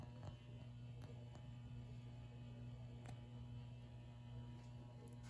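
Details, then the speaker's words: Rare late-1970s/early-80s ERS American Art Series ceiling fan at an intermediate speed: steady low electrical motor hum, no rhythm change. "let's turn this up a bit and now you can see it's complaining even more it always does that for whatever reason"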